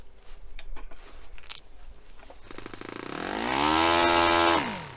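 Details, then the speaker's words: Restored Saito FA-45 Special four-stroke model engine, warmed up, pinch test: climbs to a high buzz then dies almost instantly when pinched; low-speed needle too lean, richened half a turn counterclockwise. "I'm going to richen that up a little bit with a counterclockwise turn. I'm going to half a turn because that was pretty instant there."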